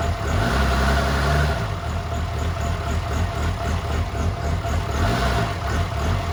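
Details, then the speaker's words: 2007 6.7 diesel swap (1400 hp build, compound turbos) first fire: low, uneven idle loping about once a second; rough from old tuning for smaller injectors and ~10.5 V with alternator unhooked; downpipe only. "So it is running a little rough. Not a big deal. And then with the battery voltage being low because the alternator is not hooked up, that's also playing a factor in why it lopes so bad."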